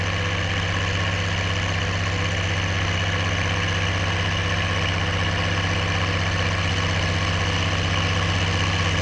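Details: Oliver 1550 diesel tractor pulling a JD BW disk about 6–8 inches deep, running well once whatever was in the fuel system cleared: deep, even drone at steady speed, no stumbles or misses; clean under load.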